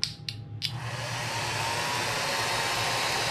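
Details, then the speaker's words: 1934 Bell & Howell Filmo Model 57 projector powered by a household extension cord: a few switch clicks, then a loud, steady, airy whir from the motor and fan running with no film moving. "you can hear it it's very loud it's not doing anything now"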